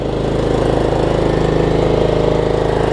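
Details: Troy-Bilt Pony riding mower, unidentified small engine (possibly Loncin), after a loose starter-solenoid connection was fixed and a good battery fitted: single cylinder idles smooth and even, about 200 beats per minute, no misses or knocks; healthy.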